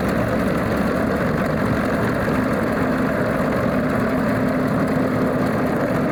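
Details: Alvis Leonides Mk 25 radial engine in a Percival P.56 Provost trainer, after start-up: deep, steady idle with an even low drumming beat and no misses or knocks, a smooth and healthy normal idle.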